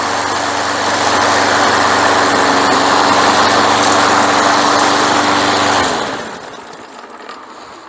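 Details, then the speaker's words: Craftsman Platinum push mower after carburetor rebuild, new recoil, drive belt, blade and air filter: small single-cylinder runs at a steady even drone, then winds down cleanly at shutoff; sounds healthy. "Okay, I'm pretty happy with that. Looks like this one's ready for sale Finally."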